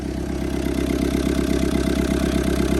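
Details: Old Kubota M7500 tractor with a newly rebuilt injection pump, after priming with ether, now running on its own fuel with one injector not yet tight: a steady, even diesel clatter at idle with a regular beat and no misses.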